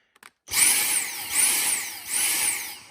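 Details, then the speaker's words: Dyson handheld stick vacuum, inlet covered by hand. Motor pitch rises and drops in a repeating whoosh about every 0.8 s instead of holding steady. Pulsing from a clogged airflow path that needs cleaning out. "So what that's telling you is that somewhere in here, it's plugged up and you got to clean it out."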